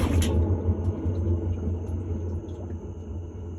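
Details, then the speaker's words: Whirlpool-made Maytag washer before drum conversion, drum turned by hand: very loud, deep growling rumble with uneven knocks about three a second; worn transmission. "It's super loud. Let it run and you'll hear it's loud."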